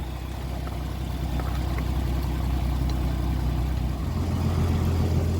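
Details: 1982 Ford Granada, day after gasket replacement to fix oil leaks, checked for leaks at idle: low even burble, no ticking or puffing from the manifold; quiet steady run with no exhaust leak.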